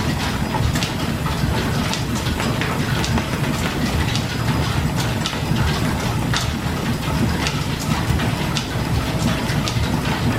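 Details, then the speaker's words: Governor-controlled slide-valve steam engine powering a 1925-style line-shaft machine shop, throttle open with governor in control: soft even chuffing and light mechanical clicks at steady pace, no knocks or uneven beats; running smoothly, normal. "it just takes just the slightest little bit of turn to the throttle you will hear the slide valve kind of snap up against the ports and it takes right off"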